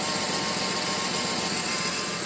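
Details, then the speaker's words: 2008 Chevy Trailblazer idling after sitting, both exhaust manifolds cracked: fast, crisp ticking over a hissy, airy running sound; exhaust manifold leak. "something else to check out the exhaust manifolds both are cracked you can hear this thing ticking both of them are cracked"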